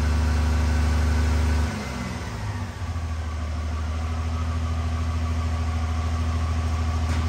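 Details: Freshly installed 1500hp Cummins diesel, run without coolant before hot re-torque, good oil pressure, about 30 at hot idle: settles from a rev into steady even low idle, constant pitch, no knocks. Normal hot idle.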